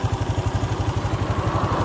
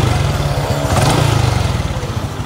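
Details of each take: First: Honda Dash 125 FI after engine overhaul at 126k km: even, steady thumping idle about ten beats a second, no knock or misfire; slight noise, louder when cold, but a healthy settled idle. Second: Honda Dash 125 FI at 126,000 km after engine overhaul including timing chain set, idling: light tick over an uneven single-cylinder thump, faint and not loud, said to be louder when cold; ticking at idle, cause unclear.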